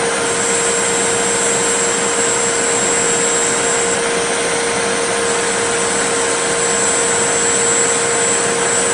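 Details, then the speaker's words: Riccar 8850 vacuum motor run after repacking front and rear bearings and cleaning the commutator; smooth steady whir with clean even tone, no grinding or rattle, sounding much better than before. "yep it's sounding a lot better so now I got to figure out how to get it back into the machine and make sure that it still sounds good"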